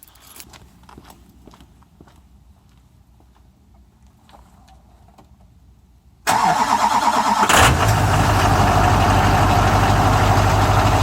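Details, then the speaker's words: 2001 Chevy Duramax diesel at 20°F after a 17°F night, not plugged in, phone propped up nearby; a short crank of about a second, then it catches and settles to a steady, loud idle. Cold start. "I'm going to turn the key over for 10 seconds, and I'm going to prop the phone up over here so we can kind of hear what the startup sounds like."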